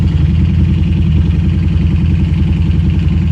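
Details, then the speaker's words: Harley-Davidson Street 500 with new 60-mile 750 engine, 750 ECM and throttle body, fully warm, idling evenly with a loping beat around 1200 rpm, lowest it has idled; healthy. "it's essentially up to temperature that's the lowest it's ever idle just could not get this thing idle"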